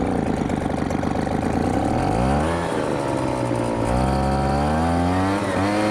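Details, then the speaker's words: MTD Bolens BL125 two-stroke leaf blower, refuelled after running out of gas, with the carburetor repaired and adjusted to cure no-start and bogging: revs up and down cleanly without stumbling; now dialed in and working. "all right guys I think I got it we got it dialed in Baby Woo we got it dialed in we got the carburetor adjusted the carburetor fixed and it works"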